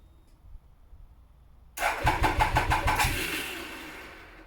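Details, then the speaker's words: Triumph ST1050 motorcycle, bought cheap at auction, cold start: starter churns about a second, engine fires and settles into a steady idle with no knocks or rattles; normal, healthy cold start and idle. "I can't believe that started. That sounds absolutely sick in a good way. Well, there you have it. I am absolutely fablasted. That sounded absolutely brilliant. No knocks, no rattles."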